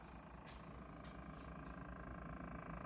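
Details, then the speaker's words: Midea refrigerator (MDF model) heard from the side: a steady low compressor hum with an even buzzing tone, louder than normal and audible throughout the house; cause unknown. "hear the humming, the compressor sound. I'll go around to the other side."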